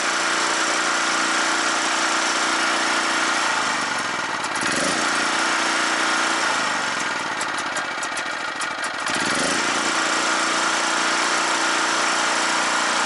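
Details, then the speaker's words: Scrapyard generator revived, exhaust blowing onto snow: small engine revs up and down under throttle with crackly bursts as soot blows out of the muffler; each hard throttle clears out a little more carbon. "but yeah every time it gives it lots of throttle it clears out a little more"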